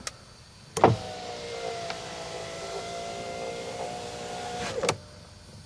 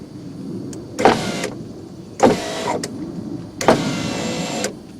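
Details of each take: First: 1991 Mercedes-Benz 420 SEL rear power window after a new plastic regulator jaw and a new switch were fitted and the door reassembled: smooth, even motor runs with firm stops, nice and quiet, now working normally. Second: 1991 Mercedes-Benz 420 SEL, driver's rear power window on a non-OEM regulator repair, tested with a new switch: motor whirs with clacks and play. Early regulator jaw failure, to be fixed preemptively with a new plastic jaw.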